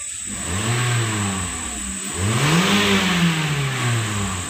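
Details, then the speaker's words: Toyota Corolla Altis 2.0 V with sluggish acceleration, started after spark plug gaps were adjusted to about 0.9–1 mm, still cold: picks up cleanly on two blips and settles with even firing; rpm drops straight to 900, likely 800 normal. "Baiklah, untuk bagian RPM, langsung turun ke 900. Oke, mari kita periksa dulu sampai agak panas."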